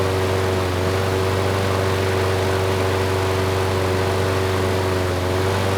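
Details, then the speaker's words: Craftsman lawn mower 917.374541, engine 128T02-1270-B1, after freeing a sticking auto choke: even, steady drone at constant speed with no surging or misfire; choke now opening, runs well, only a slight occasional stutter. "that was much better the choke sounds like it is turning off now the engine is running well"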